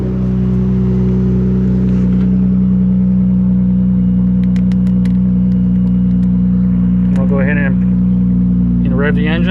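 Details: 2016 Dodge Challenger 3.6L, towed in crank-no-start, faulty fuel pump diagnosed: engine runs smooth and steady with deep even note, picking up cleanly in quick blips; healthy running.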